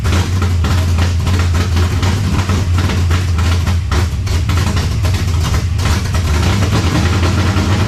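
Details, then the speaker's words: 1970 Chevelle V8 with Holley Sniper 2 fuel injection, while timing is adjusted: deep, loud idle with a lumpy, uneven pulse and no steady rhythm; owner feels timing is still off, plugs and IAC settings to be checked. "Alright, to me, it sounds like our timing is still off."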